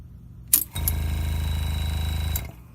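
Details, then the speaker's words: Air compressor at about 30 psi feeding a pneumatic engraving machine; with the machine on, the line opens and air leaks from the handpiece: motor runs under two seconds with an even buzzing hum, then cuts out; short cycling, never staying off over a second. "When I turn the machine on, the line opens, air leaks out of here, and that's why this right here, the air compressor, won't turn off for more than 1 second, because it's trying to stay at an equal PSI with the engraving machine."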